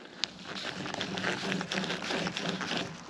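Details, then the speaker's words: 2006 Mazda 3 strut top mount bearing, removed old strut assembly turned by hand during strut replacement: rough, scratchy gritty crunching in uneven bursts; worn, contaminated bearing, replaced with new complete strut, spring and top. "not sure if you can hear that but I can hear a lot of grit and a lot of nastiness all inside of that uh bearing right there inside"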